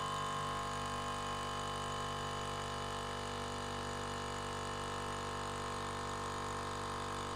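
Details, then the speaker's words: Ridgid 18V cordless brushless air compressor, after lubricating the rubber-sealed piston during teardown: steady even motor drone with constant piston thrum, no knocks or rattles, filling one gallon in about a minute; normal running. "and it shut off now zero was the first time I shut it on and it will fill this thing up in about a minute one minute it can fill up one gallon of air so"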